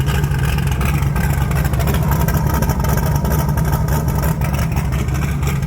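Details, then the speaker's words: 1980 Trans Am Gen 1 small-block Chevy V8 turbo after valve seal replacement and a drive to clear intake oil: deep exhaust rumble rising and falling with throttle, no misfire or knocking; formerly bad smoke gone; normal revving. "So I drove it around the block, I got on it, and yeah, I think it cleared it out. I think it's good now."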